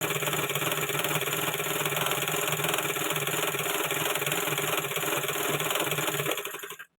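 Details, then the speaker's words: Sewing machine runs with a loud, fast, harsh clatter after a week or 15 days of continuous use without cleaning or oiling; the dry, dirty mechanism causes the knocking. "প্রথমের ভিডিওটা দেখে তোমরা নিশ্চয়ই বুঝে গেছো যে মেশিনে বিভৎস ধরনের একটি আওয়াজ হচ্ছে। এই ধরনের আওয়াজ তখনই হয় যখন আমরা একটানা মেশিনে কাজ করতে থাকি।"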